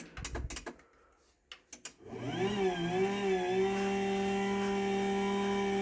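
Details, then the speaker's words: Chamberlain higher-end DC garage door opener running: clicks, then motor spins up with wavering whine settling into a steady fairly loud hum, typical of its shared DC motor. "So that's a Chamberlain, and like I said, all the higher end openers have the same DC motor in them."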